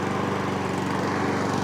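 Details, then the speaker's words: Mountfield S421RPD self-propelled mower sold with broken drive, first start after drive repair: small single-cylinder holds a steady even beat, no misfires or surging; running healthy and the drive roller now works. "Look at that. So now the drive roller is now working."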